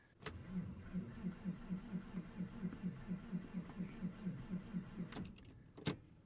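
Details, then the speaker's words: 1999 Porsche 911 Carrera 4 (996), hard start: steady starter cranking about eighty-five turns a minute for about five seconds with no catch, worse than usual; then backfires and it stalls. "that's worse than usual oh i love that we just put a deals gap sticker on the card now it won't start come on there we go"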